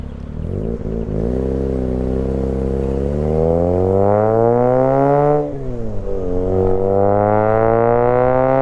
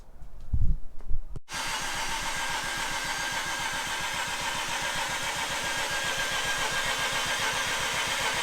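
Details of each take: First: Freshly installed half-bridge-ported Renesis rotary in a Mazda RX-8: clean note climbing smoothly through revs, dropping and picking up again with no metallic scraping or rattle; sounds healthy. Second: Mazda RX-8 with a half bridge-ported Renesis rotary on an older Adaptronic ECU, on the second start attempt after the install: the starter churns at a quick, even beat but never fires; the owner suspects the Adaptronic tune, not confirmed.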